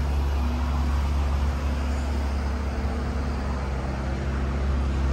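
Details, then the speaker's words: Cold first start of a 2018 Dodge Ram 1500 Big Horn 4x4 Crew Cab (E85-capable) settles into a smooth, even low idle rumble with no ticking or knocking; the engine sounds healthy. "okay nice crank up guys i didn't hear no like motor knocking or nothing like that you know what i'm saying"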